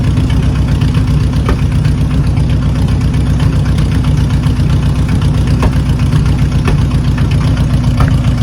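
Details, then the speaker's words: 1980 Chevy K30 Squarebody with a small-block 350, first run and drive in years: a deep V8 idle with an uneven, stumbling beat from a misfire where a cylinder drops out now and then. "Oh, it's got a misfire now. Nothing's on fire. Nothing's on fire. It's just misfiring, that's all."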